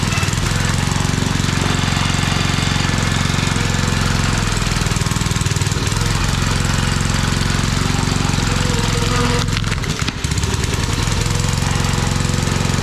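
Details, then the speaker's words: Old Briggs & Stratton 5 hp engine on a homemade wood splitter with a Montgomery Ward ram, run without air cleaner and little fuel added; loud chugging that dips near the end then recovers, surging. Owner suspects low fuel, some lost to vacuum. "Did I not give you much fuel or what? It's possible you ain't sucking it all down because I didn't put much in. Plus I lost some with the vacuum there. It almost sounds like it's running out, huh?"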